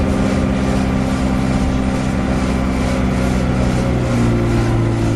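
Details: Arriva 1050 diesel at idle with a loud ticking noise: a light, fast tick rides over the low rumble; source of the tick not identified.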